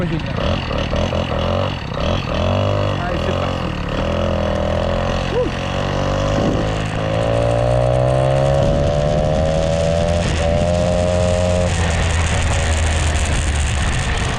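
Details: Peugeot 103 moped with Airsal 65cc T3 engine, first start of a freshly built engine: two-stroke buzz climbing and falling cleanly with throttle blips, smooth without misses; running well.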